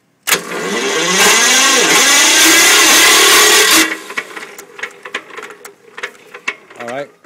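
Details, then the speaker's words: Listeroid Metro 6/1 electric-start slow-speed diesel genset (740 rpm, 4500 W); about three seconds of starter cranking with no firing because the fuel was switched off. "well it helps if you turn the fuel on"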